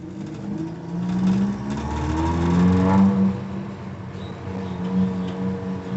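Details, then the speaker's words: Suzuki Feroza after jet tuning: the engine revs and settles cleanly with an even note and no stumble. Pull is smooth at the idle-to-primary transition; it now runs properly. "tapi ini sudah enak"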